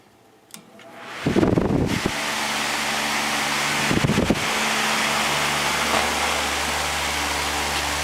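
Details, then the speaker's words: Lakewood HV-14C fan, probably early 2000s, just after motor cleaning and oiling, started on high: spins up to a smooth steady whoosh with low even hum, speed changes, no rattle or squeal; runs normally. "okay it's all put back together ready to run started up on high"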